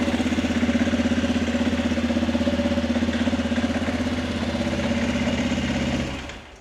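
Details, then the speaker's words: 2006 Arctic Cat 400 ATV after a carb clean for clogged jets; even, steady low thumping idle with no misses or knocks, then a clean shutdown. Normal idle. "Everything is in working condition. And now it fires right up."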